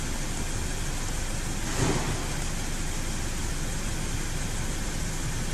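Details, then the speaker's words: 2008 Audi S6 after fixing a cylinder 3 misfire, caused by water inside the ignition coil, with a new coil fitted and faults erased. Even, steady idle with no skips; no engine light and no vibration at 100 km/h afterwards. Normal idle. "Now, no light engine on, no vibration when the drive 100 is now. No uh problem at all."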